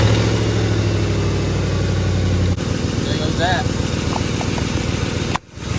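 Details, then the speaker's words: 2005 Ford F-150 4.6L V8 at idle after spark plug replacement: uneven, loping idle with an irregular stumble, a misfire with no code set; suspected intake manifold gasket leak, coil boot worn and coolant getting in, coils also suspected. "One more shake. One more misfire. That was uh that was it."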